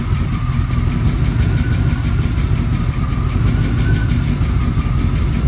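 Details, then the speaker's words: C4 Corvette after the hot no-start and VATS code 46 fix, idling to warm up before a hot restart test, engine light still on: deep, steady idle with an even low pulse and no knocks or stumbles; running smoothly. "Sounds mean. Okay, I'm gonna let it idle. We'll wait for it to get warm and we'll retry it."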